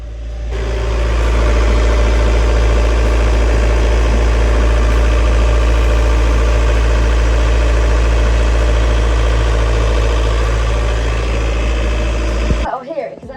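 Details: Sailboat diesel after repair with new engine mounts, shaft coupling and saildrive mounts, following a failure to drive the propeller: steady, even low thrum, much quieter, with no knocking, rattling or shaking. Normal running.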